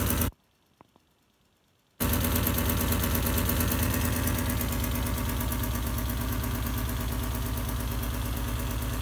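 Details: Alfa Romeo GTV6 engine shaking at idle: after a brief quiet gap, an uneven thumping pulse about four times a second; rough idle.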